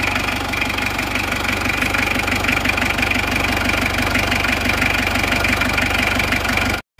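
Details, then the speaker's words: Isuzu Panther 2.3 diesel after new NPR liners and piston rings, with injection pump timing just adjusted: even clatter at a steady beat, about three pulses a second, no harsh knock; normal, properly timed idle. "Jadi suara yang asli dan real yang nyata itu seperti ini. Silahkan diamati. Suara yang nyata, yang real dari Panther 23 yang normal itu suaranya"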